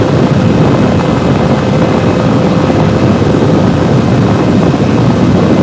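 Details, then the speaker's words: Server CPU on stock air cooler near end of stress test, temperatures around 80–85, side panel off, before liquid cooling install: steady loud low whooshing roar of fans at full speed from CPU overheating. "this is on the stock air cooler back so you can start to hear the fans pick on the system would probably be happier if we have the side panel on it"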